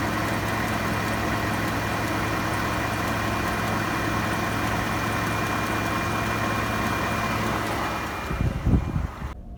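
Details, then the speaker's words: Ford F-150 5.0 V8 under warranty, ticking persists after dealer PCM reprogramming; steady idle with a quick, even light tick about three or four times a second, diesel-like, intermittent, plus a flutter on deceleration at times; source unknown. "so now it's making a ticking noise listen you hear that"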